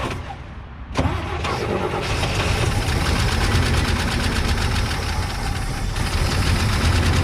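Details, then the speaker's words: 1979 International Scout II first start after sitting 20+ years, bottle-fed fuel: it catches after a second and runs loud, ragged and clattery with uneven beats; rough running after long storage, an exhaust leak suspected. "seems to make some racket dang it"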